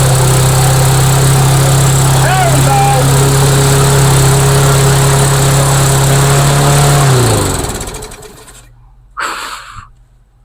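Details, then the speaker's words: Rebuilt trash-find MTD lawnmower single-cylinder engine, fresh oil, oil burning off: steady noticeably high buzz, then winds down and stops; overrevving, governor not holding revs, tab to be tilted back. "And as you can hear, the engine is revving a little bit high. So I'm going to tilt that tab a bit back so that the governor can get a little bit more control of that engine."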